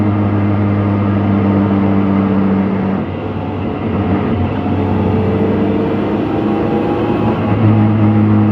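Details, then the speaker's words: BMW 116i E87 N45B16 race car, wheel raised and in gear: low droning moan on deceleration. The diff whines slightly, but most of the noise is from the clutch or gearbox; owner suspects an assembly error. "so the diff does whine a bit but that's not where the majority of the noise is coming from it's coming from the either the clutch or the gearbox"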